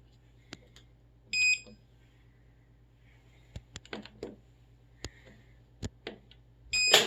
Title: whirlpool duet wfw9150ww00 won't start in normal mode